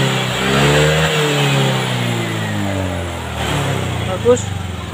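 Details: Honda Vario 125 FI scooter, just after a manual ECU reset (mode 1, DLC wire jumpered then removed): idles smoothly, then revs up cleanly and settles, responding crisply to the throttle with no stumble; reset succeeded, engine running normally.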